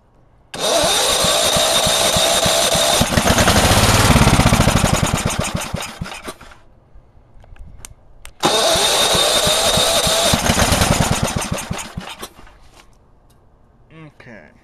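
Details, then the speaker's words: Go-kart lawn mower small engine, first start since last year after an oil change: two cranking bursts with starting fluid briefly sputter into a run, then die within seconds. Owner suspects it is not getting gas. "let's see why it's not going to stay running"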